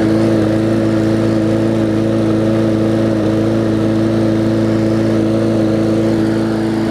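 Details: Bolens push mower with a Briggs & Stratton engine (classic or newer OHV), restarted after refitting the air filter following no-start repair. Steady, even drone at constant pitch with no misses, surging or hunting; running smoothly.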